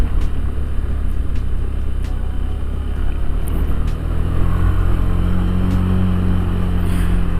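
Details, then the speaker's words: Honda Beat Deluxe scooter with aftermarket CVT rollers on an acceleration setting, climbing a hill with a passenger and no run-up: deep, steady drone grows louder as the revs stay high; louder engine sound under load. "perbedaan yang saya rasakan juga pas di tanjakan ini si suara mesin motor lebih terdengar ngegerung mungkin bisa kalian dengar sendiri"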